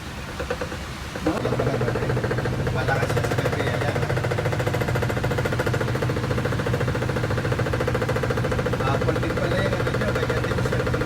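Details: Whirlpool top-load washing machine in spin cycle: rhythmic knocking/banging as the basket strikes the body because the machine isn't level on the floor.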